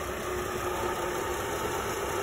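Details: 2004 Chevrolet Trailblazer after repairing misfire on cylinders 1 and 6 following a plug change: steady, even idle with soft constant hum, no stumbles or skips; no check-engine light or active codes, running cleanly.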